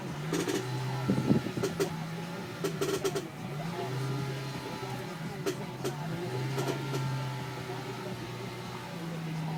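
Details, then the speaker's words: Nissan 350Z rear sway bar end links (worn stock parts, later replaced with Whiteline): irregular creaks and short knocks in bursts while rolling over uneven ground. The worn rear end links are creaking. "all that noise what you were here a minute ago was from the end Lincoln from the rear and of course so if anybody has that creaky noise hopefully this will be your fix for it"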